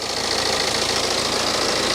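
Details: Cheap written-off BMW at idle after spraying WD-40 on the belt: steady even idle with no chirp or squeal; squeak first suspected from water pump but traced to the belt. Normal idle, no belt squeak.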